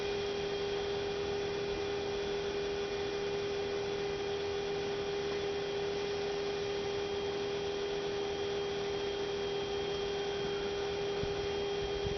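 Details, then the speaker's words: 2006 Toyota Prius coolant bleeding, final stage: electric coolant pump steady whirr with no gurgling or bubbling, no bubbles at bleeder, funnel holding 2-3 cm; system bled, normal. "It's looking pretty good. Not really hearing any bubbles at the bleeder, and the level in the funnel is still, there's still about 2 to 3 centimeters of coolant."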